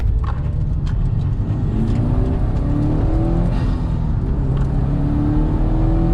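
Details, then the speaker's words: 2004 Subaru STI after engine reinstall and new clutch, driving under boost: smooth steadily rising pull, no stumble or misfire; first pull was slightly hesitant into boost with one check engine flash, second fine; normal. "this thing runs absolutely perfect though so surprised at first it was a little bit hesitant getting into boost and my check engine light flashed once"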